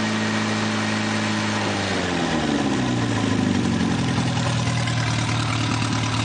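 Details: Newly rebuilt 2.1L Triumph TR4A engine on first run test with a small radiator and overflow pipe and a couple of oil leaks; catches and settles into a steady, even, smooth idle with no knocks or ticks, sounding healthy.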